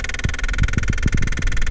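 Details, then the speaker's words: 2008 Toyota Sienna, key on, fan running, heater control turned toward floor or defrost: irregular low knocks, clicks and grinding under steady blower hiss from the failing heater blend door actuator motor; driver's foot heat stopped working. "When this goes bad, you get a bad clicking sound. We're inside. We're going to show you the sound it makes."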